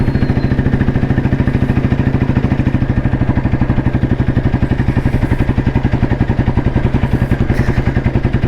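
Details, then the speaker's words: 1993 Royal Enfield Bullet, old C-engine with crank weight, climbing uphill at 30 km/h: slow, even thumping single pulling steadily, firm and regular, no knocks. Healthy under load, shown as the crank-weight advantage. "കേട്ടോ പൊട്ടികറുന്ന ഈ കേറ്റം കേറുന്നത് 30 സ്പീഡിലാണ് കേറ്റം കേറുന്നത് ഇതാണ് crank വെയിറ്റിന്റെ Advantage"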